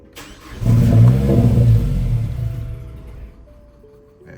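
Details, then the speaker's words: Mazdaspeed 3, first start after installing Corksport exhaust manifold, CST5 big turbo and intake, without a base map: catches and flares to a quick rev, then sags unevenly and fades as if about to stall; owner suspects lack of base map. "probably ain't going to run right, like I said, cuz it's not too much power."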